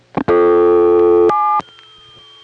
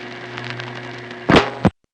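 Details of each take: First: No. 1/1A ESS electronic switch line after dialing a single digit 4: loud dial tone stops, then faint touch-tone beeps and clicks of other customers dialing come through; crosstalk that disappears once the call completes. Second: 1976-1981 crossbar No. 1 office register sender, subtler than others: steady low hum then two short soft relay clacks, tones inaudible; normal, each sender with its own signature.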